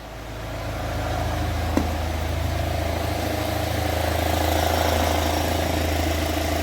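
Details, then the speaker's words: UAZ Patriot engine after repair, warmed up to near operating temperature, restarted at idle with oil pressure gauge fitted: quiet, steady, even idle, smooth low hum, no knocking or ticking; normal idle. "и давай заводи моторчик работает тихо ровно"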